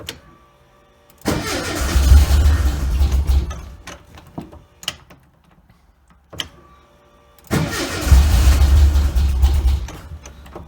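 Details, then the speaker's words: Carbureted car sat all winter, started cold in about 55°F New England weather, carburetor still tuned for Florida: it catches, runs rough, dies, then restarts; the owner attributes it to cold and the Florida tune; oil pressure and voltage good afterward. "this is carburated has been sitting all winter it's going to take a few cranks to get her going no surprise there it is still kind of cold this carburetor is still tuned for uh Florida climate I never had it re-calibrated for the cold weather up here so it's going to fight me a bit"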